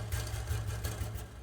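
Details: 2019 Nissan Rogue SV AWD after rear brake pad and rotor replacement: low, steady idle with only a few light taps; the rattle heard on the road test from a bent heat shield is gone after fitting a hose clamp.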